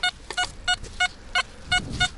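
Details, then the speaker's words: XP ORX metal detector over a target reading high 80s–90s: short high beeps about three per second with a fluttering, changing tone; owner is 90% sure it's iron but will dig anyway. "Can you hear it just misfiring? There it is, there's that misfire, and it's changing."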